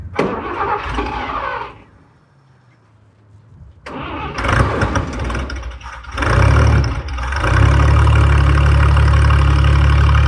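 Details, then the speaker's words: 1966 International 1100 shortbed barn-find pickup, six-cylinder, run after brakes fixed and new battery fitted: short cranking, then an even, steady idle with no knocks or misses, running like a sewing machine; healthy engine. "like a kitten as doich would say runs like a sewing machine"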